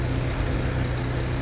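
Deep, even low rumble with a steady rhythm and no knocks or misses; an old petrol engine idling smoothly and healthy.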